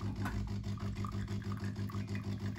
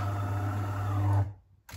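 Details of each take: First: DeLonghi coffee machine showing a red triangle error: rhythmic metallic grinding, about three pulses per second, as the brew unit drives to its down position; suspected worn main gear on the shaft that moves the brew unit. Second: DeLonghi coffee machine after repair of the brew-unit main drive shaft, which had caused a red triangle error: a steady low motor hum for about a second, then stop, with no metallic coin-in-a-can rattle, so the brew unit works normally.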